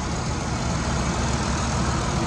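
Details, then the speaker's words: 3.6 L V6 salvage truck at Copart, airbag light only, no check engine or ABS lights: smooth, steady low idle hum with no ticking, knocking or misses; sounds very healthy. "nice little truck for sure sounds very healthy V6 but 3.6 L it's not bad good on gas"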